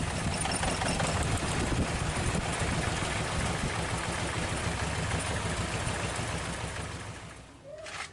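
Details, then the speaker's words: Toyota Corolla DX still idles lumpy after new spark plugs, with no change when cylinder 1's plug wire is pulled: a stumbling beat about three times a second. Steady misfire. "Ternyata setelah penggantian busi baru pun suara mesin masih pincang."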